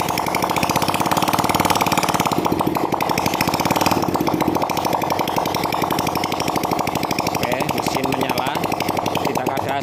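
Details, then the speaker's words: Vega R motorcycle engine bored up with an oversize 450 Kawasaki Kaze piston, first start with no exhaust fitted: loud, raw, rapid buzzing holding steady revs without misses. Checking for white smoke; none appears and oil circulates. "We haven't installed the exhaust yet. Yes, we also want to check whether it still feels white or not."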